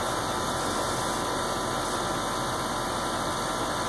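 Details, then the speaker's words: Heat pump outdoor unit running in heating mode in cold weather, compressor and condenser fan on: an even, unchanging whoosh of fan air over a low compressor hum, no knocks or squeals. Normal operation. "i want you to just pay close attention to the noise that you're hearing this is normal operation"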